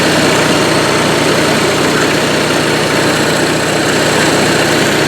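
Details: Onan Marquis 5500 RV generator (1998 Bounder motorhome, 20+ years old, 60 hours) after carburetor rebuild, running on gas from a can as it won't draw from the tank, choke opening; steady even drone, no misses or knocks; normal running.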